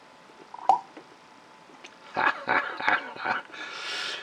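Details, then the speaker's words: Onoto The Pen No 5601 plunger-filler fountain pen by De La Rue, late 1930s, first fill test after a full service: a small sharp pop, then soft irregular gurgling bubbles as it draws ink; normal plunger fill. "right I'm sure you could hear that that sort of bubbling bubbling noise followed by a popping noise"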